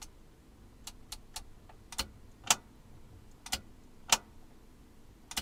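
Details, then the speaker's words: Pioneer SX-550 receiver being reassembled, first switch-on before scope tests: sharp irregular clicks every second or two over a quiet hum from the power section, which then stop; unexplained transient clicking, now fine. "There's a strange noise from the power, like a clicking, like it wasn't going, but it's gone, it's fine."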